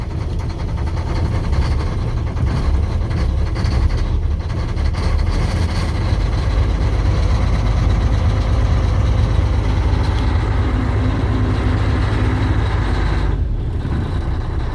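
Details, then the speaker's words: Semi truck diesel started cold around midnight in freezing weather: deep, loud rumble with an uneven, lumpy beat as the engine struggles to stay running; rough cold-start idle. "Let's see if it starts. Damn. And it's struggling to stay on."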